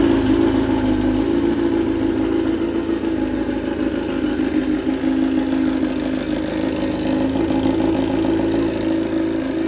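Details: 2007 Honda CBR600RR fuel-injected sport bike, unrun about 5 years, in neutral after Juice Box tuner removed, second start attempt: steady, even idle with smooth mid-pitched hum, no knocks or misses; healthy running.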